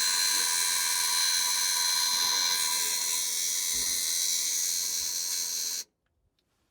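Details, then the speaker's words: Parts-donor semi truck at key-on after the ignition switch (same as a late-70s base Ford) was removed and its tumblers drilled out: a continuous high-pitched dash warning buzzer holds about six seconds, then cuts off abruptly. The owner feared this; he suspects the batteries arced. "Cool. That part kind of scared me when that buzzer started going off. That's kind of what I was afraid of."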